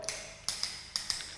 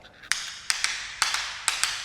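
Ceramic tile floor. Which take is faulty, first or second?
second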